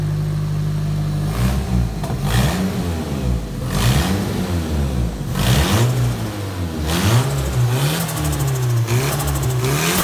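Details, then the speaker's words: Nissan S13 with a $400 secondhand engine, clutch fan not yet fitted: repeated rev blips climb and fall cleanly over a loud rough idle, no knocking or rattles; sounds pretty healthy for the price. "For a $400 motor, that sounds pretty healthy to me."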